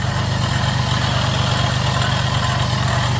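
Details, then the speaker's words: 2009 Jeep Grand Cherokee 3.7L gas at idle: rough, rumbling drone at about three pulses a second; the water pump bearing is worn, with a lot of play in the pump. "take a look at that water pump guys in fact let me turn it off and give you a closer look of that water pump but once again listen to this noise that's bad"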